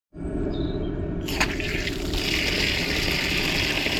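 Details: Newly fitted outside tap with a check valve installed, tested after fitting: steady, even rush of water with no hammering, spitting or chatter. Normal water flow.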